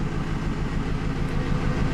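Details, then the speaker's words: Petrol engine idling lumpy and uneven with one cylinder dead after its fuel injector was deliberately unplugged during lean P0171/P0174 fuel-trim testing; misfire code P0200 set, system went into open loop. "let me just see you can hear the misfire there not sure I like running my car like this too long"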